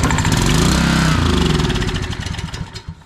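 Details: Old barn-find Generac generator with no gas in tank, run on a spritz of starting fluid: catches with quick firing pops, speed sags and it quits within about three seconds.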